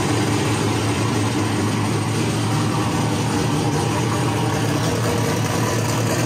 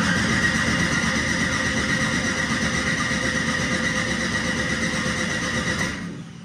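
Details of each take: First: Ford Mustang with single-turbo LS-based L33 V8, first start-up after turning off the ignition timing offset: steady, even idle with firm low rumble, no misses or knocks; known vacuum leaks remain. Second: Ford Mustang with single-turbo LS-based L33 engine at first start-up: starter churns evenly, nearly three beats a second, for six seconds without firing; the ignition timing offset was left on in the ECU setup.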